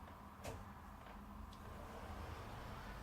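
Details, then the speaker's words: Wardrobe sliding door: slides quietly with only soft bumps. The earlier clicking from a notched upper roller is gone. "вот сейчас слушаем никакого многих щелчков трескотни нет"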